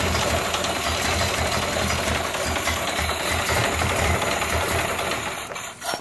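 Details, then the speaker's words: Ford Model A four-cylinder with fuel cut at an in-series gas switch, running until the carburetor bowl drains: putters with uneven, missing beats, then stumbles and dies from fuel starvation. "so that's a gas starved engine as you can hear that so no gas and so she's just about out"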